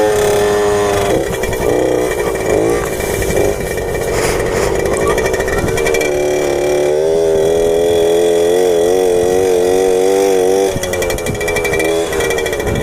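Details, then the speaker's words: 1997 Suzuki JR50 two-stroke after restoration and hidden gear mod, riding in first gear: buzz climbs in pitch, then wavers and stumbles near the top instead of pulling cleanly; engine breaking up at high rpm, cause not identified. "still increasing rpm and then sometimes it keeps building and sometimes it's there because that it breaks up"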